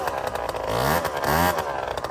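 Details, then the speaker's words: MBK Ovetto 50cc two-stroke scooter after carburetor tuning. Crisp revs blip up and drop back cleanly with no stumble. It is running and revving normally. "Une bonne chose de faite on va dire. Il marche plutôt bien, donc tout à l'heure là, ou demain on ira tester la vitesse, on"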